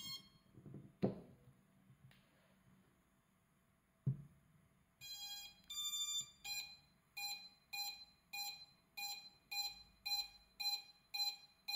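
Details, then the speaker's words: Quadcopter just flashed from Betaflight to INAV: after a short startup tune, the ESCs beep steadily about twice a second and never stop, and the motors won't arm or spin. "i have this continuous esc beeping and that that will never never go it just keeps beeping all the time and the the motors won't arm and they won't spin"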